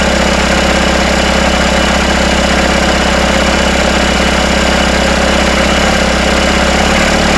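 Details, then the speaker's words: Freshly rebuilt Isuzu 4BD1T diesel in a Hitachi EX120-2 excavator on first start, running a steady smooth idle around 1250 rpm after loose rear bolts were tightened; no rattle or knock. "putting in a throttle lever here okay okay let's see if that sounds it's not rattling"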